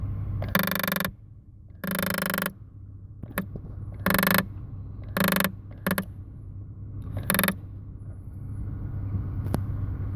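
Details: 2008 Toyota Sienna climate control mode door actuator behind the dash makes repeated bursts of ratcheting, grinding clicks; its internal position contacts have degraded so it never senses the vent is already open.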